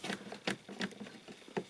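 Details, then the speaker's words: 2007 Peugeot Partner 1.6 HDi (9HXC, 90bhp, ~102,000 miles): side trim panel moved by hand gives light, uneven plastic-on-plastic clicks and ticks from a few loose clips; interior trim rattle, fixed with felt tape on edges and pins. "And it's basically just a few clips, and it's plastic on plastic."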